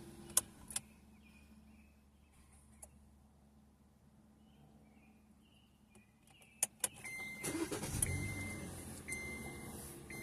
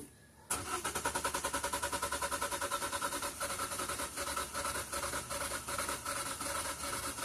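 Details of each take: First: Owner's 2014 Kia Forte after fuel pump job, new pump with old filter: a few clicks, then the engine fires almost instantly and settles into steady idle, where before it took a few extra cranks; new pump and old filter run mint, normal quick start. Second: 2014 Kia Forte after a new fuel pump was fitted, a part possibly not fully seated: the starter spins the engine at an even two to three beats a second but it never fires.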